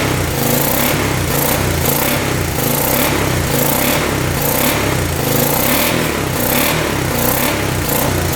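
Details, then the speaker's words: 1986 Honda Fourtrax 350 4x4 ATV, bought after sitting neglected for years, first start with penetrating oil down the cylinder: steady, even single-cylinder beat at constant speed, no ticking or knocking, not smoking. Normal running. "it's not smoking anything off the back here foreign that is insane 350 bucks fuel pump must be worked pretty good now wow sounds really really good no ticking"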